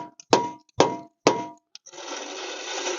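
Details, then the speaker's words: Rear brake on a Yukon whose rotors glowed red: three sharp metallic clinks as the wheel is turned, then a hiss; something loose inside, owner suspects worn-out emergency brake shoes, not confirmed. "Sounds like the emergency brake shoes, they're probably gone."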